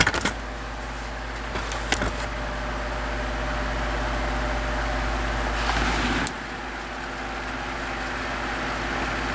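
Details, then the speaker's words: 12-inch oscillating desk fan after lubricating dry bearings and replacing worn thrust washers, humming steadily and quietly with no rattle on low or at any angle: normal quiet operation. "i don't hear that rattling that we was hearing before sounds quiet"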